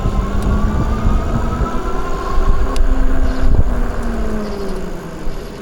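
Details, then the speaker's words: Eilleo SpaceWalk M7 electric bike after replacing front and rear brake pads: quiet braking with only low rumble and faint falling motor hum, no horn-like squeal or grinding as before. "Replaced front and rear brake pads. And here we go. Dead silent. Dead quiet."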